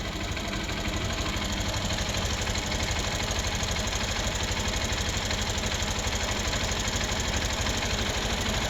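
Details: Hero Xpulse 200 single-cylinder motorcycle at idle, before valve clearance adjustment: fast, even ticking at about three per second over a rough idle; valvetrain tick from incorrect valve clearance.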